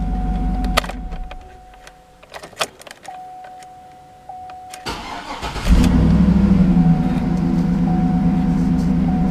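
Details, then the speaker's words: 2010 GMC Yukon Denali XL, L94 6.2 V8, 121,000 miles; door chime, then a quick crank and catch settling into a smooth, even idle. Starts clean and sounds good. Normal start and idle. "Pretty nice ride. The engine sounds good in it. Got the 6.2 in it."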